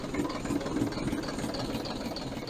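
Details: Engine 3461 started after at least two decades, fuel freshly bled, rocker cover off to check oil to the rockers; busy, fast sewing-machine clatter over the diesel idle, tappets due for adjustment next weekend; valve train clatter at idle.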